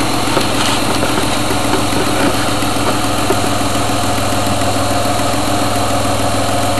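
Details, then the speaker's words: Truck at startup and idle: a faint, quick ticking over the engine in time with the firing, from an exhaust leak at the front manifold. "If you listen closely, you can actually hear the engine tick. It's driving me nuts. It's exhaust leak on the front"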